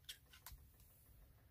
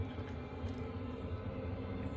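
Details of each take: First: Chinese diesel heater in a box in a tent trailer, after running out of diesel (error E-08): faint sharp ticks in quick succession as the dosing pump is switched on to prime the empty line, clicking much faster than in normal running. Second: Chinese diesel heater in a box heating a tent trailer from about 0 °C outside, 20 minutes running full bore, target set to 15 °C, interior near 15.7 °C: steady low rumbling roar with even, unbroken combustion note, no surging or popping; normal running at full output.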